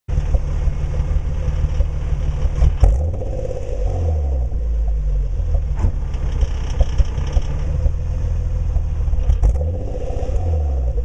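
Revs rise and fall with sharp irregular pops and stumbles breaking the exhaust note; misfire under revving, cause unknown.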